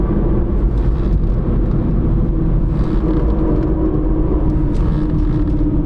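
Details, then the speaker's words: 2010 Dodge Avenger 2.4, about 123,302 miles, on a road test at speed while swerving: steady road rumble with a faint hum and a weird scraping sound from the right front, a bad front wheel bearing. "some kind of weird scraping sound going on in that right front"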